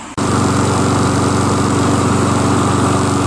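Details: Curbside Toro SR4 Super Recycler 20381 mower with a Chinese clone engine, started after six or seven pulls: a small single-cylinder buzz at a steady, even speed; it runs fine once started, though starting is hard.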